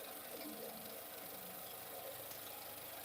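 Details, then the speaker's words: 2014 Nissan Qashqai 1.2 turbo petrol idling with a fast, dry metallic rattle, a typical timing chain rattle; owner avoids running it long for fear the chain slips, before timing chain replacement. "that's a typical of a timing chain rattle noise so I don't want to run it for too long because I don't want the timing change to slip accidentally so because that could cause more damage"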